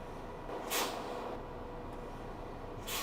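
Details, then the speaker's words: Mitsubishi Fuso Fighter X truck idling with AC on: two short sharp hisses as the brake pedal is pressed, normal exhaust of the pneumatic air brake system fed by the compressor. "karena dia remnya sudah tidak pakai hidrolik lagi, tapi sudah pneumatis air brake, rem angin, dan rem angin itu sangat aman."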